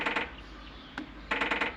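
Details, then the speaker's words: Working boost control solenoid on a turbo Silverado drag-and-drive build, truck not running, bench-pulsed from the four-port output at 50% pulse width: sharp buzzy clicks in short groups, the last a run of four; normal solenoid operation. "so solenoid is working woohoo exciting"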